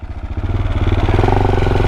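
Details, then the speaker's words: KTM 690 Duke at idle after wheelie riding: fast, even beat with a light tick on each pulse, speed steady; rider unsure if the ticking is new, and an oil pressure low warning appeared; source unclear. "Is that ticking? Was it making that sound before? Did it sound like this before?"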